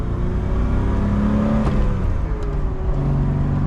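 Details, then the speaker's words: 1979 BMW E12 528i four-speed, driving with no working brakes: strong, clean pull as the engine revs out through the gear, pitch climbing smoothly with no misses or knocks; healthy engine, surprising power. "oh she's actually got some power"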